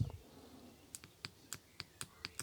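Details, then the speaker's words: BMW 530d Touring air-suspension compressor release solenoid valve clicking rapidly, about four a second, then snapping shut; the rear deflates intermittently despite recently replaced air springs; the valve sticks open and is the culprit. "that's it okay so the piston has now engaged that time after multiple times of doing it but what that's convinced me of is that this is the culprit because there's a sticky valve"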